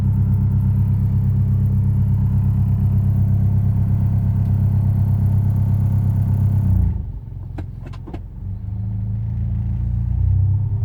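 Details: Proton Inspira engine on cold start runs loud and lumpy with an uneven beat near three per second, then drops away abruptly; knock or misfire only when cold, fine once warm. Cause suspected, not confirmed.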